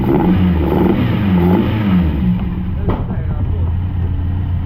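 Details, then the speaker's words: TVR Cerbera that had been running rough and rattling, now running on only one of its two sensors with the other disconnected: engine revs cleanly on light throttle, then settles into an even, steady run with no rattle, like a brand new car. "now that's that's way better than it looks yeah this here I tried running on just that sensor yeah and um it it barely ran but as soon as you disconnect this one and just run on that one like a brand new car"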